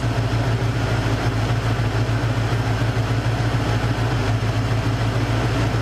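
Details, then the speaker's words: Mercury Cougar V8, idle after the misfire was addressed: deep, even low rumble with no stumbles or skipped beats; the misfire is gone, the exhaust smells better, and it runs smooth on all cylinders. "gas yeah miss fire's gone she sounds good"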